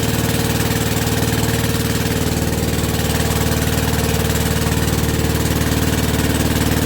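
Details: WW2 generator petrol engine after rebuild, first start on original piston with about quarter choke, petrol tap leaking. Steady even single-cylinder chuffing about four beats a second, no misses or knocks, not smoking even warm; normal idle.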